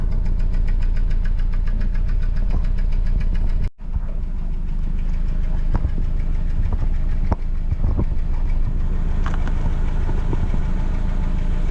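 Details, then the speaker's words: Van with check engine light: lumpy rough idle with stumbling beat and dropouts, no power, surging while driving; cylinder misfire. "as you can see I started it and it's got a rifle idle on it no power"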